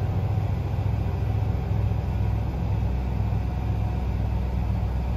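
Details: 5.7 V8 after crank no-start with P0336/P0339, fixed by replacing the crank sensor and gapping it with one washer: deep, even rumble with steady low pulsing and no misses or knocks, idling smoothly.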